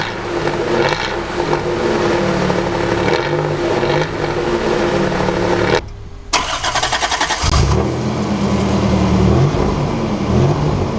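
Engine cranks and catches, then revs cleanly a couple of times with no puffing or ticking; exhaust sounds sealed.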